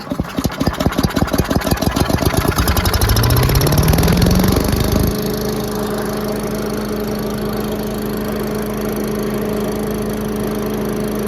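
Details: Giant Vac leaf blower with a 1982 8 hp Briggs engine, started after its spark plug was put back in, on choke at full throttle. Rapid popping pulls into a clean catch, then a steady, even drone; it is running healthy.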